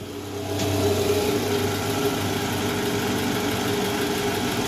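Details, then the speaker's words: Toyota Alphard after replacing the worn balancer shaft, engine running and shifted into R, heard from the side: smooth, steady idle with an even hum and no knock or rattle. The abnormal rough noise from before the repair is gone. "udah posisi R guys nggak ada bunyinya ya Coba kita dengar di samping Oke sip bunyinya udah hilang ya guys"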